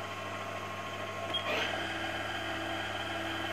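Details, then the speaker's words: Haas VF1 spindle gearbox after gears were taken out and polished, low gear at roughly 500–1200 RPM: a steady high-pitched gear-mesh whine with a low hum under it, still present but noticeably quieter than before polishing. "okay so we still got the gearbox noise which obviously we knew we were going to have but it seems that polishing the gears up of it has definitely made a [Applause] difference"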